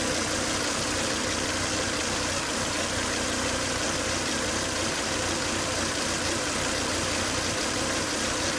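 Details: Volvo S80 2.5T at idle with high intake vacuum, oil cap sucking air hard: constant airy high-pitched whine after 10-20 minutes running; failed crankcase breather box, solved by replacing the breather box/filter.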